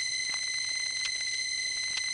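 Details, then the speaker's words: Phone line through the 1976-77 Grand Concourse panel switch in the Bronx: a constant high-pitched buzz with bright overtones, the office power supply noise also heard from the crossbar 1, though less loud. "Now this central office building, Grand Concourse, has a lot of power supply noise. And from the panel, we hear that same sound that we were hearing from the crossbar 1."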